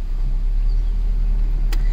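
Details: Ford Focus at idle with the air conditioning on, after new spark plugs, coil packs and valve cover gasket. Smooth, steady low rumble with no stumble or miss: normal idle.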